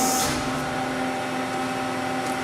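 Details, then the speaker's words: Lauffer RMT 100 hi-speed straight side hydraulic press, Siemens OP396 control, single break with light curtains, about 8 inch stroke: steady pump hum, fixed tones, soft hiss, no knocking or squeal; runs smooth, 80 tons no problem. "Sounds good, runs good. 80 tons. 80 tons is no problem, so there it is."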